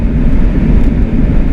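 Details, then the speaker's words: Right-hand-drive Jeep Cherokee cruising on pavement on choppy lug tires fitted to custom wheels: a loud, low, steady road drone with no knocks or grinding. Tire noise from the aggressive lugs, not a fault. "I hear a lot of tire noise in this. Those choppy, those luggy tires on those custom wheels are a little loud in this one, if you can hear that."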